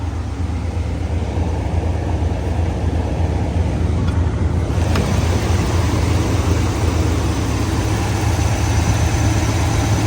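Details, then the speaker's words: 1994 Chevrolet C30 ex-fire-department truck, 7.4 L 454 fuel-injected V8, about 27,000 miles, bought with a miss (maybe two) of unknown cause: slightly uneven loping idle under road noise; misfire. "it belonged to the fire department and then they hired it because it was had it had a miss and uh don't know what the Miss is but I bought it with a Miss maybe two misses"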